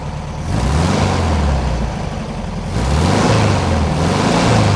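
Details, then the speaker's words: 1971 VW bus flat-four, back running after 2+ years sitting, with new carburetor, full tune-up, plugs and wires, warm and off the choke: even settled burble, slight speed variation, no misses; still burning off deposits; normal idle. "yeah she has a bunch of stuff she needs to burn out of her that's all they off the choke so judge idle sounds good engine sounds happy"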